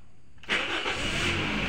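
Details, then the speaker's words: Toyota Altis that stalls and jerks with a flashing check-engine light on bumpy roads, traced to a loose battery terminal: short starter crank, engine catches within half a second and settles into an even run. Normal engine start. "Nah hidup toh."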